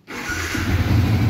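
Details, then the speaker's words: Yamaha Vixion fuel-injected motorcycle after repair of several faults (a loose socket and the ECU, damaged by a non-original stator, both replaced). Catches instantly on the button into a steady even idle; a normal start, previously rough. "kalau motor normal langsung bunyi ya kalau susah sulit berarti motornya enggak normal"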